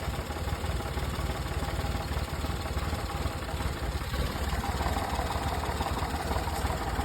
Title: 1998 hijet (fuel injected) rough idle